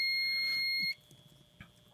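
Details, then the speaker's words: Multimeter continuity check of the ground (sleeve) on a Takamine output jack assembly (TRS 3.5mm plug): single steady high beep just under a second, confirming good ground continuity. "You see, we got continuity. Continuity means there's no breaks, and of course we could check the ground too. We should. There it is."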